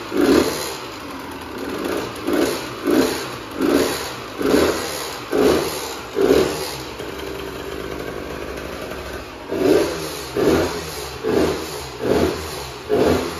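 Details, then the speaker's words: Husqvarna WR125 two-stroke: crisp revs dropping cleanly back to a steady idle with no rattle; the engine sounds healthy, though the power valve is not working and the exhaust is not yet fixed. "psu foarte bucuros că am fost motocicletă și că motorul se aude bine"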